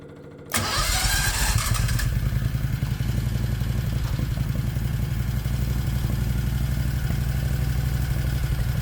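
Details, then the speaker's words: 1969 Renault R10 with 670cc Predator engine, first start after fitting dual 24mm OKO carburetors: catches after brief crank, settles into a fast, even, throbbing idle well above normal; idle too high, adjustment needed. "well it runs and it runs pretty good the idle is way too high and I want to see if there's any adjustment"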